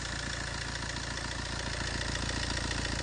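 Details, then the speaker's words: Fiat 1.3 Multijet diesel idling with a steady clattering rattle: a worn-out timing chain. The tensioner piston is at its end stop, as seen through the inspection window, so the chain needs replacing. "de aracınızda böyle bir ses varsa zincir değişimi gelmiş demektir"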